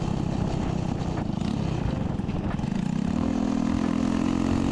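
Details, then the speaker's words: Chopper with a new 125cc 4-speed engine, exhaust cut short to clear the kick start: harsh, raw bark climbing in pitch as it revs from about three seconds, far too loud. "so uh as you saw we had to cut the exhaust um so now it's just loud it doesn't sound good"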